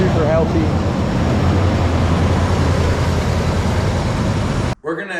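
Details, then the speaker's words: 1976 Jeep CJ5 304 V8 idling on its own tank with the fan back on and charging: deep, even, steady rumble with no knocks, misses or surging. Normal, healthy idle. "It's running on its own tank. We also have the fan back on. We're charging which is awesome. She sounds pretty good."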